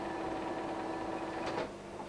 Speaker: If it makes a noise like this it's doing right now, that will tell you that the gear train, everything else is functional and running.